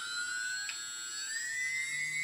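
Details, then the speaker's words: TBS Discovery build, one of the good G motors starting up on a table, vibration checked with iPhone iSeismometer app: clean steady high whine climbing slightly in pitch, no rattle or wobble, barely any vibration felt through the table. "barely none vibrations and if I put my fingers on the table I can feel that it's running quite nice"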